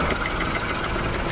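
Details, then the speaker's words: Maruti Suzuki WagonR running on CNG, fine on petrol, with check engine light, codes cleared: slightly rough uneven idle with irregular stumble and tak-tak ticking; CNG injector suspected as the source. "आपको video में सुनाई देता रहेगा की आवाज आ रही टक टक टकटक टक टक कर एक आवाज आ रही है वो इसकी शायद से इंजेक्टर की आवाज है सीएनजी का इंजेक्टर का"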